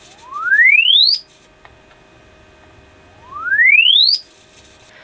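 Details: Alto TS310 2000 W class D active speaker, fed a low-to-high signal-generator sweep: tone rises from midrange to a high whistle with no low end at all, whatever controls are pressed; no bass, traced to the amp.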